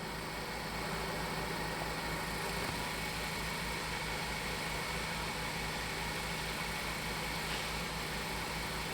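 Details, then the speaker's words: Ford four-cylinder at idle, firing order 1-3-4-2, cylinder 3 ignition coil unplugged to create a misfire for a ThinkDiag scan-tool test; the PCM shut down that cylinder's injector. Steady low thumping stumble about four times a second: dead-cylinder misfire. "now it's bad i unplugged the ignition coil and it shut down the injector in that circuit"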